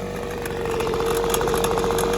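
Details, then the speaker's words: Formerly seized Echo two-stroke leaf blower, revived and warming up after the idle was lowered: a fairly steady idle buzz with a light, even crackle, not hunting; runs smooth. "I lowered the idle down a little bit. These do have an adjustment on them."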